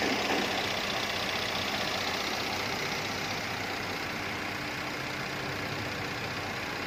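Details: Car idling with a steady but uneven, lumpy, loping beat and engine vibration; misfire, with the ignition system, injection system and fuel octane considered as causes but not confirmed.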